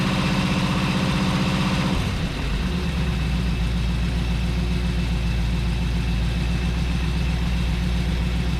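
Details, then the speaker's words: 1977 Chevrolet 4x4 small-block V8 project truck, first start after fresh plugs and lubricant sprayed in, smoking a little: rough revving then steady, even idle with deep exhaust burble; normal idle. "now just from like an exhaust tone that thing actually sounds pretty good"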